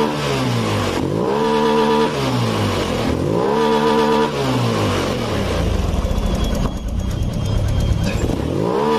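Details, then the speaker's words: Honda Beat Pop scooter after adjustment: revs up and back down at half and full throttle with a smooth, steady climb, no stumble or bog; normal revving. "ini sampai mentok nih mau setengah mau gaspol ini enak tuh"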